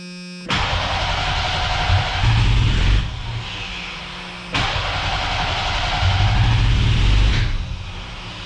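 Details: Cheap old Ford Ranger after new fuel tank, pump, tune-up and fresh gas: engine fires and runs rough only while starter whirs, then sags and quits when released, twice; seems very rich, stuck-open injector flooding it.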